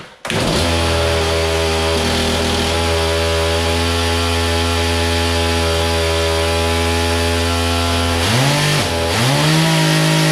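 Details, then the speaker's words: Stihl MS 180 petrol chainsaw after cold start using full then half choke, 5-10 second warm-up: steady, even tone whose pitch has dropped and stabilized, then blips; healthy warmed-up two-stroke. "when i hear the pitch that's dropped and it's steady then i'm ready to rock"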